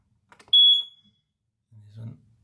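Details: Newly installed replacement hardwired smoke alarm: a couple of clicks, then one loud piercing high beep on pressing the test button, working normally.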